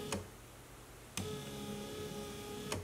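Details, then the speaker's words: 2014 GMC Terrain with replaced wiper linkage and original motor, ignition on, engine off: even thunks about every 1.5 seconds as blades reverse, no grinding or binding; normal wiper operation. "seems to be working okay"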